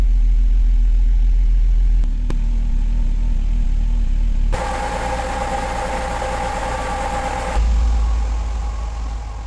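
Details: 1998 Mercedes SLK230 R170, M111 Kompressor engine, after fixing idle hunting and limp mode (K40 relay resoldered, crankshaft sensor replaced, ECU cloned): low, steady idle with no hunting or surging and an even beat; normal idle.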